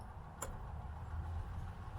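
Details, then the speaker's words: Webasto diesel heater install on a Land Rover Freelander 2: faint sharp ticks about every 1.5 seconds from the fuel dosing pump priming normally. Fuel came through after repeated 60-second priming cycles. "could hear the floor pump ticking so hopefully we should see you all soon"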